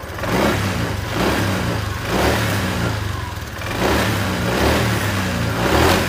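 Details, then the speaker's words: Honda Vario 125 after ECU remap flashed with Honda flash tool: repeated throttle blips rise and fall cleanly, the earlier stutter on initial throttle now gone. "Nah dia langsung hilang ya sudah tidak nendat lagi"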